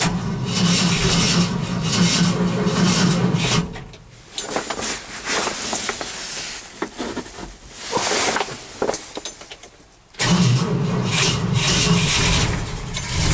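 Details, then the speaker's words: Engine cranked after an overnight low of -11 with start temperature 0: two bursts of steady cranking with even rhythmic chugs and rustling between, never catching; cold no-start, owner suspects flooding and is unsure of the battery. "y think i flooded him see If I can do this one-handed"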